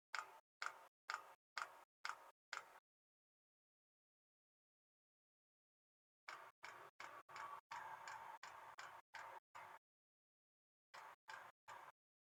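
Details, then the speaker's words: Newly installed Thunder Jet diesel air heater on a boat, startup mode, boat engines off: soft even fuel pump ticks about twice a second in short runs with pauses as it ramps up; normal. "ure there's no Vapors in the system and here shortly you should hear the pump start up I don't know if you can hear that but you can see the pure going through the line pick up speed"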